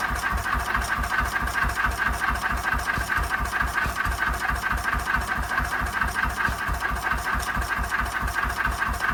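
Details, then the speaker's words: 1926/7 National 5V petrol-paraffin single-cylinder engine after new piston rings, running on petrol off load with Cox Atmos carburettor nearly shut: steady, even exhaust beat about 136 per minute, no misses or knocks; running cleanly. "This is running on petrol here without a load, and as you can see it's running pretty cleanly."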